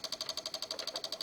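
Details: Microsol NG2 voltage stabilizer (110–220 V input, 110 V output) powering a soldering iron: rapid, even relay clicking about twelve per second with a sharp ring as output voltage oscillates; faulty relay and bulged capacitor.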